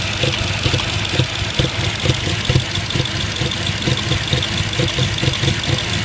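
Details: 2005 Audi A6 C6 petrol engine idling roughly, with uneven low thumps about twice a second from a misfire on cylinders 1-3.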